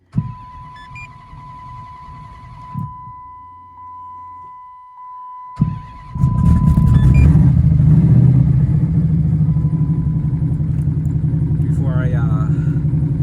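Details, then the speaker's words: Twin-turbo 5.7 Hemi Dodge Challenger on E85, primed then started after a rebuild: dash chime, cranking start, then a deep, steady lumpy V8 burble settling evenly with no misses or knocks; normal idle. "Listen to that smooth idle."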